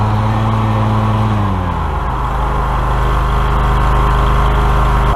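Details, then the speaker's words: Exmark Vantage 36 stander mower, which kept cutting out when the controls were moved: with engine droning steady, releasing the controls with blades engaged shuts the blades down, their whine winding off over about half a second, slower than usual — delayed blade shutdown. "It was a little delayed. Usually it shuts down faster, but you heard that the blades shut down."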